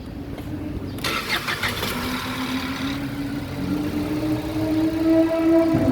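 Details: Ford EcoSport that sat long and wouldn't crank despite a new battery and a working relay; after the repaired starter is refitted, a brief starter whirr, then the engine catches and settles to a steady rising idle. It cranks and starts cleanly.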